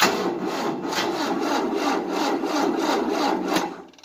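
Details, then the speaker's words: 1988 Tennant 255 Series II sweeper, long-dead battery on a booster, starting fluid sprayed, choke full on: sluggish rasping crank about three and a half turns a second, never catching; slow cranking, no start, attributed to insufficient battery power. "The problem is, there's not enough battery power. And the battery's been so dead for a long time. It doesn't have the crap to do it."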